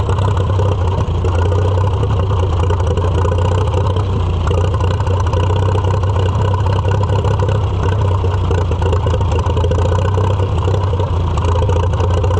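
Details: Farmall F-12 tractor on steel, auction find being revived: steady, deep low thump with no clear misfire or knock; owner suspects air cleaner restriction and carburetor needing rebuild, fault unclear.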